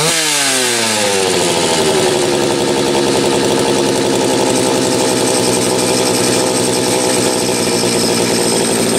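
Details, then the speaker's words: Homelite 330 chainsaw with few hours, after fixing a kill-switch ground wire broken by the factory crimp: fires and climbs quickly to a steady, crisp high-rev buzz with no stumbling; normal running, saw ready to go. "and there was a moment of truth i think this saw is finally ready to go"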